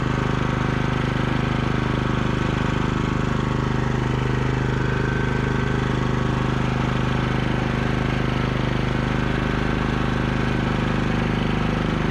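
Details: Cub Cadet 3X MAX 34-inch 420cc fuel-injected three-stage snow blower running after restart: even single-cylinder beat about two per second, steady speed, no misfire or rattle; normal running.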